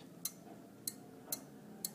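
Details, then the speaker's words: San Marco FCS espresso machine, rebuilt pump micro switch actuated by the cam lever: four crisp, sharp clicks about half a second apart as the switch activates the electric-assist pump motor; normal operation. "if i rotate the cam like i'm doing so now you'll see the lever rotates up it locks into place and when it does so that mechanical function transfers over to our micro switch and you can actually hear it clicking"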